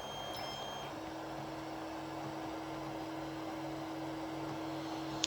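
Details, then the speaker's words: Tronxy XY2 Pro 3D printer, just after homing all axes: steady even-pitched low hum in a quiet room; one of the printer's fans is running a little noisy. "And it turns out that this is a little bit noisy fan over there. Yeah, the fan over here is a little bit noisy."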